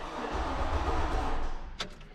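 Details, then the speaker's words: 2003 Chevy Silverado 1500 that won't start: starter cranks the engine briefly but it never fires; cylinder four spark plug dry, no fuel from the fuel rail line, fuel pump not heard priming. Crank, no start. "okay so it you know definitely turned over there and still completely dry and nothing on that line"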